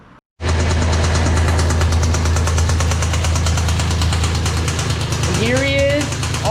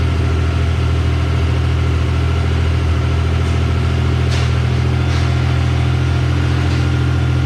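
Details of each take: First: Mazda MX-3 V6 (Red Ted) running at low speed: heavy, rapid, regular knock under the engine note, a serious rod knock that took it off the road and is leading to a 2.5L KLZE V6 engine swap. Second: Mazda MX-3 after swap to a 2.5L V6 KLZE engine with turbo plans and larger 65 mm throttle body, first start: deep, even V6 idle rumble, smooth steady beat, no knocks or misses after a loose wire was fixed; normal idle.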